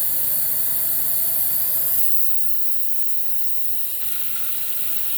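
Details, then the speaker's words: Miele Swing H1 vacuum with blocked suction: steady hiss with sharp high whistle, dropping as the bag indicator pops open and leaks air, acting as suction relief. "yep now the indicator is open makes it a little bit hard to engage at suction when you can't get a full seal but you know there's always a good reason for a suction relief valve to be in place"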